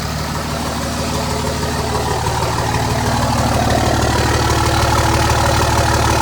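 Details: 2005 Dodge Ram 2500 5.9 Cummins turbo diesel, 194,966 miles, stone-cold start at 34°F after grid heater warm-up: steady, even idle clatter growing slightly louder; healthy cold start.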